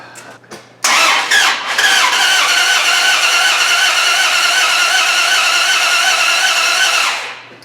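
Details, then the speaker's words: Dodge Ram 1500 with a swapped 4.7 HO V8, new spark plugs, engine super flooded: hissy, uneven cranking for about six seconds with no firm catch. After the fuel pump relay was pulled it started right up. Extended cranking, flooding suspected. "well i pulled a relay for the fuel pump so hopefully that's not letting it fill up with more fuel and a darn thing started right up i think it could have kept running huh"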